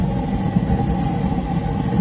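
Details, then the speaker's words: Waste-oil heater burner with turbo air, viewed through a cut-out panel, after brief black smoke at startup clears: even, low steady roar and constant hum, no surging or sputtering; normal clean, stable burn, garage door not hot. "now it's pretty much on it'll stay that way so yeah my garage door is not hot"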